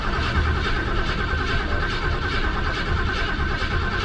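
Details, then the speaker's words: 1968 Lincoln Continental, unstarted 2–3 months: steady low cranking churn with no clean catch, given a little gas; extended cranking after storage while fuel is pulled back up to the engine, normally runs fine. "come on baby yeah this one usually if I let it sit for two two months or so it takes a little bit of time just you know to get the gas up to the engine again and and get it going but it's been running fine"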